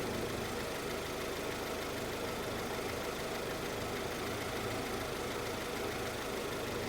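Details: Honda CR-V (RD1) after replacing a burst small upper HVAC heater hose and refilling with water: steady low idle, even rumble, no misses or knocking; owner checking for head-gasket trouble.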